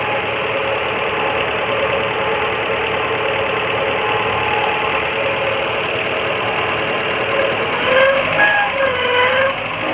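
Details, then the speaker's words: Maruti Gypsy idling before repair: harsh, steady grinding rasp, maybe from worn alternator bearings; alternator replaced, giving smooth sound afterward. "A loud grinding sound is heard, maybe a worn-out alternator. Bearings."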